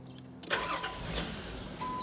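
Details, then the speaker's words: 2001 Nissan Pathfinder after fuel rail damper replacement, hot restart after 20 minutes of street and freeway driving and a 20-minute sit: short crank, catches at once into an even idle; warm-start problem solved. "there it is starts right up so it looks like we've solved the uh warm start problem"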